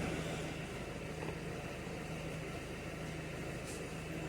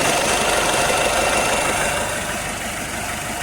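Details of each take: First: Citroen Nemo diesel, previously a no-start with a dead battery and EGR and immobilizer fault codes: with the correct fuel it runs fine, an even, steady low diesel clatter at idle with no misses or knocks. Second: Citroen Nemo diesel: idle with a hard, slightly uneven clatter about 220 beats a minute, rough running; the fuel turned out to be petrol in the diesel, and a leak was also found.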